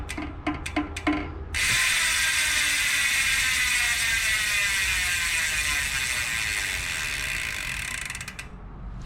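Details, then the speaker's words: 2021 Trek Fuel EX 7, stock Bontrager Rapid Drive 54-tooth freehub before 108 POE upgrade, rear wheel off and spun: separate clicks then fast even buzzing ratchet winding down; healthy pawl engagement. "so before we remove the cassette let's get a quick before and after comparison of what the free hub sounds like here's the stock 54 rapid drive tooth"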